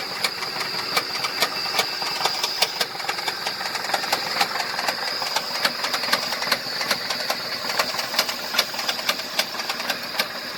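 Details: 2005 Ford F-150 with 334,000 miles: sharp, evenly spaced ticking knock, about two or three a second, riding over a steady idle; bad motor knock deep in the engine.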